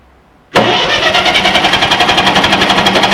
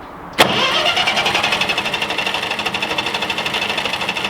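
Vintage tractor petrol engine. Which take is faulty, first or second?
first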